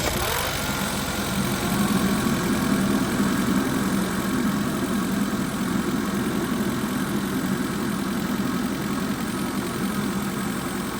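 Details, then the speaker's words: Audi A4 just started after rebuild, front clip, intercooler and belt refitted: steady even idle with smooth low hum, no knocks, ticks or misses; some smoke the owner considers normal from handling; sounds great. "Fuck yeah. That's the smoke. That's normal, my hands have been all over it. Sounds great."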